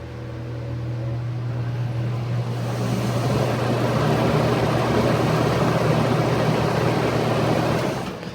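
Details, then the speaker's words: Lasko 4713 fan after contact cleaner was sprayed into the motor bearings to dissolve dried oil, not yet re-oiled: a low hum swells into a slightly rough, steady whoosh at startup; the bearings are dry and need oil. "medium and low today and she off yeah pretty much probably need to be broken in or re-oiled but it's hot better than we saw it last time"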